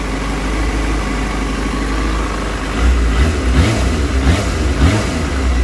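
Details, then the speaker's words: GY6-type scooter engine after rewiring the rectifier past a burnt connector, charging at 14.38–14.4 volts with no voltage spikes: steady even low putter at idle with a couple of light blips; runs clean, normal idle. "sounds healthy see if it's voltage [Music] spiking nope it's doing exactly what it should do"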